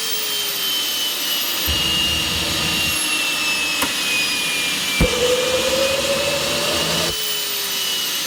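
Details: Rover gas turbine, not run for a while, on KC-135 pneumatic starter: loud airy rush with faint climbing whine, spins but never lights; fails to start, owner suspects electrical or high-pressure shut-off valve problem.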